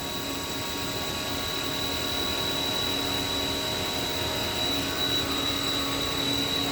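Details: Haas VF-3 vertical machining center, spindle at 5,000 RPM while the table makes linear cross-axis moves at 40 inches a minute, recorded about 8 inches from the spindle. A steady high whine holds at one pitch with no knocks or grinding. Normal, quiet spindle running.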